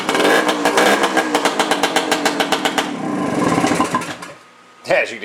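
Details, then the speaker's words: 1974 Suzuki TC-185 two-stroke enduro, all original, bought non-running with a stuck piston, kick-started on a dead battery. Rapid crackling pops over a raspy blare that dies away. Loud because the rusted, plugged factory spark arrestor was removed. Carb not yet cleaned. "you can hear, it's kind of loud. Well, that was one of the other problems I had with it, is the spark arrestor that comes factory in these things."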